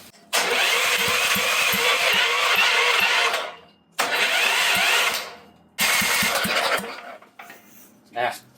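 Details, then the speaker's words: Previously seized auction generator on a real battery, fuel fed by hand from a bottle that ran out: engine catches and pops in short bursts of a few seconds, then fades and dies each time. Owner thinks a steady fuel supply would let it run. "Out of fuel. But, well, I don't know, it was popping off. I think if I actually had a steady stream of fuel for it, it would run."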